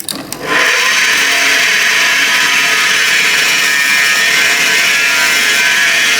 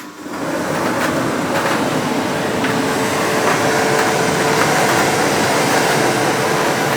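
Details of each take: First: Ariston Aqualtis 8 kg Class A tumble dryer running before the belt is removed: loud, steady, high-pitched whirring roar as the drum spins up; source unclear, with the belt tensioner or motor suspected, consistent with a worn motor bearing. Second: Ariston 8 kg Class A tumble dryer running a test load of wet cloth after the motor bearings were replaced: even, steady whoosh of the drum with a faint constant tone and no knocking or grinding; it runs smoothly.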